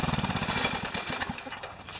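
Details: Pressure washer engine after unloader replacement (pump damaged by freezing), used unit: fast, even chugging firing pulses, sharp at first then settling; running normally, small drip at inlet connector.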